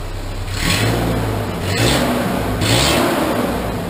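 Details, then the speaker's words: Cheap Ford Ranger after replacing its old exhaust with a used one routed in the proper spot: smooth blips rising and falling, no ticking, popping or rasp; much quieter, sealed exhaust. "she sounds much quieter"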